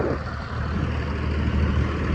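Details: 1st Gen Dodge Cummins 12-valve with a 5-speed manual and a new exhaust tip: low, steady diesel rumble at idle with an even beat and no knocking or ticking. It is a healthy idle.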